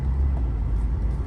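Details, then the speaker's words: Lexus GS 300, 115,000 miles, near-stalls when braking: low uneven chugging idle sagging toward stall, with code P1349 VVT system fault bank 1 and misfire codes on cylinders 1–6 plus random. "we'll see what uh what i can find in there oh it's like chugging in chugga chugga chugga okay shut it down"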